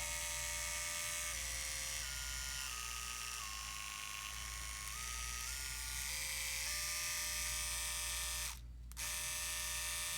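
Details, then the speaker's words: Andis Excel 5-speed clipper after repair and reassembly, plugged in: smooth, steady high buzz stepping between speeds, no rattle or grinding; quiet, normal running. "I love this clipper. It's a beautiful, beautiful working clipper. It's quiet."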